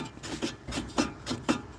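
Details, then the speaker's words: Pontiac Firebird idling, fuel pump drawing from a jerry can: uneven raspy scraping bursts, three or four a second; not piston slap but the engine fan rubbing a cracked shroud because the core support is bent and a new one is coming. "Yeah, that's the fan hitting that because my core support's all bent to shit."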